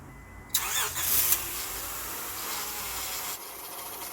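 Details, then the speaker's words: 1999-2003 Acura TL after a faulty fuel pump was fixed: pump buzzes at key-on, then the engine cranks briefly and catches at once into a steady even idle; fuel delivery restored, normal start. "And that is an indication that the fuel pump works, and it is going into the motor, and it starts the motor right up."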